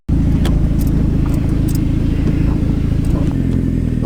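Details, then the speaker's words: Daily-driver turbo car on a test drive after the exhaust and boost leaks were fixed: the engine pulls smooth and even with a steady low hum, no ticking left over the exhaust note, and it holds boost. Normal running. "immediately it sounds better I don't know if you guys can hear"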